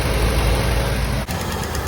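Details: Old Toyota Corolla pushrod engine with a dead cylinder: heavy lumpy idle with a brief sag while fuel floods out; owner thinks excess fuel fouled the plug, after which it stopped acting dead and ran fine.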